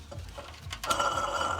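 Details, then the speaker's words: Car's air conditioning compressor clutch, badly worn and scored: a scraping metallic rattle with a ringing tone over the engine, also heard while driving. The clutch is being replaced. "so that bit you're looking at their viewers that's all the uh clutch for the air conditioner and that's what pavos you can see all that is really well worn and scowled it's been making a lot of noises"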